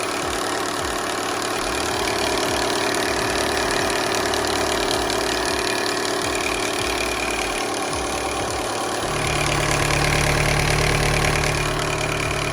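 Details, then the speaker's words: VW Golf 5 1.4 TSI, UK right-hand drive, 144 miles shown, run briefly without coolant so cold: starts and settles into a steady, even idle with light regular injector tick, no knocks or misses. "Заводим. Так, есть. Так, вот он у нас работает."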